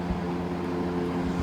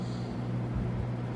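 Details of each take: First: Vintage GE F12 W22 fan (corner-badge model, c.1966–67, 3 amp), after service, stepped up to high: strong steady rush of air, even motor hum, no knocking or scraping; normal healthy running. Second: Vintage GE F12 W22 fan after servicing, running on low speed: low steady hum with a light buzzing rattle from the loose grill, which stops when a hand is pressed on top. It may need grommets.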